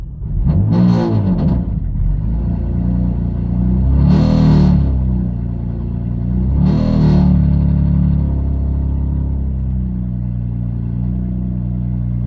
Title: bmw f80 m3 s55 misfires cold start help !!!!!!!!